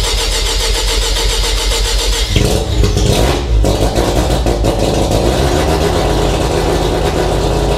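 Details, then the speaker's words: Mazda RX-7 FC3S rotary on Haltech Elite 1500 ECU, cold start with no idle air control (BAC) valve fitted: cranks, catches into loud uneven revs that need considerable throttle to start and hold RPM; needs an idle air control valve. "So as you can see, I need to give it quite a bit of throttle even to get it to start up and hold any sort of operating RPM. So we definitely are in need of an idle air control valve."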